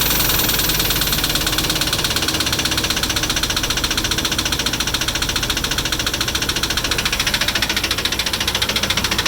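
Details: 1996 Dodge Ram 1500 5.9 Magnum V8 idling with a steady, sharp knock about three to four times a second; cause undetermined.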